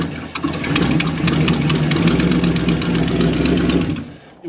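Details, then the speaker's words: 1969 Ford LTD V8, sat for years, leaking carburetor: lumpy, uneven, stumbling idle, blowing black smoke and running pure rich as the carburetor spews fuel; bad for the engine, carburetor needs rebuilding. "easier to load going downhill cuz for sure you see how that black smoke is just running pure rich like a carburator is just spewing if you run at that Rel it's bad for the engine it needs to be rebuilt"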